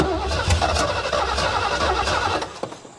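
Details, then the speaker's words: 1973 Ford Mustang Mach 1, 351 engine, sat over 15 years, cranked with fuel poured in: a few ragged firing beats under cranking, dies within three seconds; fires briefly but won't sustain, needs more gas. "Need some more gas. Oh, it smells too. But hey, it fired off."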